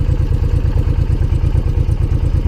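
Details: Honda VTX V-twin motorcycle, fuel-injected, idling hot with stock exhaust while rpm drops: even, deep thumping at a steady rate, no pinging or misses; engine running fine without detonation.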